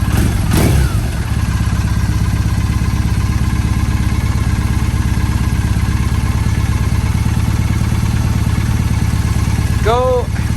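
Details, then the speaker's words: 2007 Triumph Bonneville T100 parallel twin being synced with a SynX tool: lumpy, uneven idle beat between cylinders after the sync screw was turned the wrong way, carburetors out of balance. "It got worse and that's the great thing about this If going the wrong way you just turn opposite."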